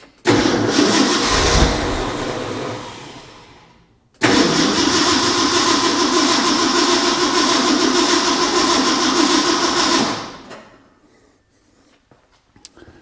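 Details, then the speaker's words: Ford F100 in cold conditions, choke status unknown, throttle pumped repeatedly: two long bursts of steady cranking about three turns a second, a puff but no fire; owner suspects flooding or possibly timing; cranks but no start. "you know I wonder I wonder if I flooded it we did get that puff and that could have been just um I've got a timing problem"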